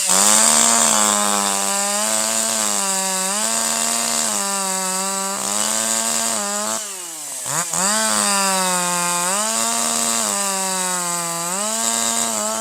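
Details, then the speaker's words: Older piston-ported chainsaw with the high-speed screw at 1.25: higher RPM and better power, slight four-stroking out of the cut, full smooth power in the cut, a brief dip then snapping back; excellent throttle response, correctly tuned high-speed mixture. "This time you'll hear even higher RPM, better power, a little bit of force stroking, a little bit of force stroking out of the cut, and full smooth powerful operation in the cut. That's what you want. The saw also has excellent throttle response."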